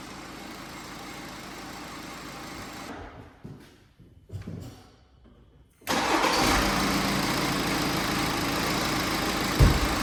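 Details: BMW X5 cranked and idling with the accessory belt removed: even idle, no squeal, so the noise comes from belt-driven accessories: pulley, rollers, AC compressor clutch or alternator.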